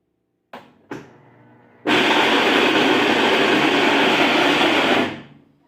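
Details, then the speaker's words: Whirlpool Xpert System digital 18 kg washer: two clicks then a very loud harsh clatter as it shifts into spin after draining, while washing is fine; clunking from worn clutch gear teeth. "escucharon ese ruido horrible que se escucha no es un tronido ligero ni nada ese es un sonido muy muy fuerte"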